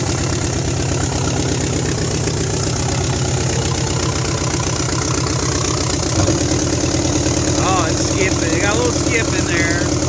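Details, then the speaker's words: 1972 Nova 307ci with TH350 after 35 years sitting, points sanded, carburettor kit fitted, first start: lumpy V8 idle with uneven beat and occasional dropped pulse, many exhaust leaks; owner suspects a flat cam lobe, running on at least six cylinders. "tons of exhaust leaks i think sounds like a bulldozer or tractor oh she's chicky chicky chicky too you might have a flat lobe on a cam"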